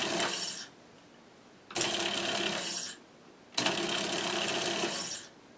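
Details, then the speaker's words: Monroe LA-5 motorized mechanical calculator, powered for the first time, with sparking thought to be the governor. Rough, uneven rattling bursts of about two seconds as the motor drags on something. Suspected, not confirmed; the motor is meant for intermittent duty only. "something is dragging on something probably shouldn't run it for too terribly long because these motors don't have much of a cooling system on them"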